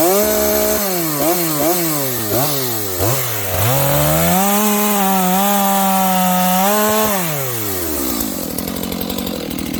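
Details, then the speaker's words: Used Dolmar 7300H chainsaw at full throttle: several sharp blips, then a held high scream with no burble. It sounds a little lean even with the high-speed jet turned out as far as it will go. "So it's a little lean. Okay, friends, again, this thing, the high jet, is turned out as far as it'll go. And it sounds a little lean to me"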